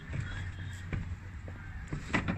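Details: Car door swung on its hinges after spraying lubricant into the upper and lower hinges and working the door; only soft thuds and clicks, squeak/creak nearly gone.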